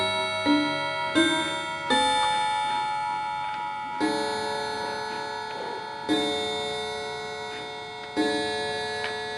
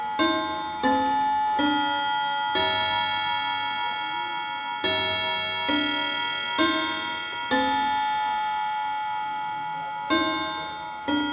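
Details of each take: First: Antique Davison Bros London chiming clock after being switched from silent to chime: it caught up by itself around 3:00 with nothing adjusted. Bell notes now strike in a steady, proper sequence. Normal chime. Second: Antique Davison Bros London chiming clock switched from silent back to chime: bell chimes at uneven one to two and a half second gaps, tune sounding wrong as the mechanism catches up; chime out of sequence.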